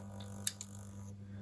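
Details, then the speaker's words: DCC Concepts Cobalt SS surface-mount servo turnout control on an N gauge Code 40 bull-head turnout: low steady hum and two quick small clicks, likely the control-board frog polarity switches; normal switching click, gentle movement. "That's the switches, I think, in the control board for frog polarity and things. But it's a nice gentle movement, dead easy to set up."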